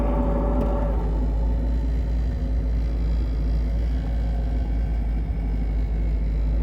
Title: TR7 5-Speed - Tranny noise when in Neutral with clutch pedal out